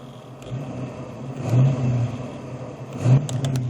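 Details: T5 manual transmission at idle, compared with the clutch pedal out and in: a low, rough gearbox rumble that swells and fades; the owner suspects worn transmission bearings, not confirmed.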